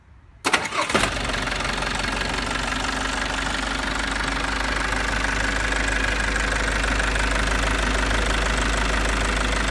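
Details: Mitsubishi J53 Jeep turbo diesel, all original, in neutral: short crank, catches instantly and settles into a steady, even idle clatter; healthy start.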